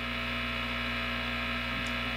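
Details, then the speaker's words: Positive Grid Spark 40 amp with single-coil pickup guitar, compressor and noise gate released: steady low mains hum with faint hiss, more ambient noise; normal, silenced fully when noise gate engaged. "And then let's release our noise gate. Does the same thing. So you get a bit more ambient noise."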